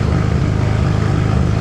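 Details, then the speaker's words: Right-hand-drive Mk3 Toyota Supra, 1JZ, sat 2 years, smoking and burning oil: loud idle stumbling unevenly instead of a smooth beat; rough idle from fouled spark plugs. "Not a good thing. It doesn't run very well, and the car is sat for 2 years."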